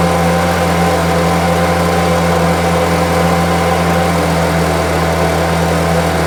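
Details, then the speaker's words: Homelite UT08572 small two-stroke trimmer after restoration: a smooth, constant buzzing idle, steady without stumbling or surging, healthy; owner will check whether the earlier tink noise is gone. "seems to be running really well. I'll review the footage to make sure that that old tink or whatever the noise was is gone."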